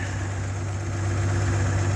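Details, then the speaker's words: 1967 GMC panel truck, 3-speed column manual, idled down: deep, steady low hum with an even pulse and no knocks or misses; the old engine purrs, a smooth, healthy normal idle. "Oh yeah, listen to this old girl just purr. Like, I'm not kidding."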